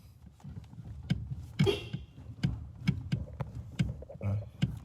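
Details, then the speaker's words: 2014 Chevrolet S10 LTZ: dull low clunks about twice a second as the steering wheel is worked back and forth, from the worn center bushing in the steering column's elastic coupling, which the owner will replace. "nessa nesse acoplamento elástico aqui, ó, da coluna. Não sei se dá para tu enxergar a bucha. Tem uma buchinha que vai no centro aqui, nesse meiozinho aí."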